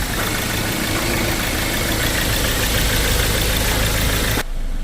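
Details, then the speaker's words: Ford Ranger XL 6-speed diesel, no-start on key ignition: starter wired directly from solenoid to positive, engine cranks, catches and idles with steady even clatter, no misses, then cuts off cleanly; starter fine, fault suspected in fuse/junction box line. "so umandar siya ibig sabihin walang problema si starter mga katropa"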